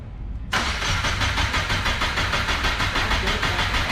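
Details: Subaru Impreza GC with JDM EJ205 swap that had sat long, oil-priming crank before first start: even, steady starter chug at about three beats a second, no speeding up or dragging; normal cranking, compression sounding even.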